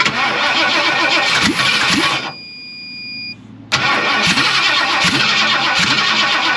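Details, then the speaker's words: 1958 Ford F100: cranking breaks into ragged firing, pauses, then catches again with an uneven rumble on starting fluid. It fired. "Well, it fired off. That's all that matters."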